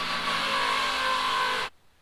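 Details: 1974 Chevrolet Nova, twin-turbo 5.3 L33 LS swap, after cleaning the fuel jug and adding fresh gas: smooth steady note, no misses or knocks, idle slightly fast; misfire fixed; tune changes and new throttle position sensor may explain high idle.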